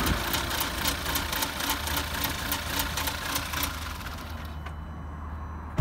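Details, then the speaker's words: 2011 VW Polo GTI WRC idling with an uneven, lumpy idle, an unsteady low thrum and irregular stumbles; clearly rough, engine reported broken, cause not stated. "You hear that rough? That rough idle? That sounds like you've got a bit of oomph going in there. Yeah, that does not sound good."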